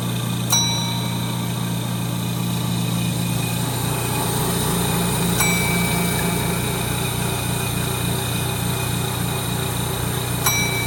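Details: 1930 Gilbert and Barker model 106 clock-face gas pump, after a WD-40 restoration, switched on and primed: steady low electric motor hum holding one pitch, no knocks, surging or grinding; motor sounds super smooth, pump running normally.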